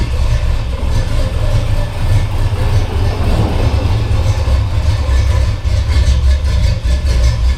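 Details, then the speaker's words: Chevy big-block V8 after a new radiator and hoses were fitted and air bled. Warming up at about 165°; deep, even idle rumble with no knocks or misses. Later held 162–180° over 45 minutes. Normal idle. "About 165, it's getting there. Oh man, I love that sound."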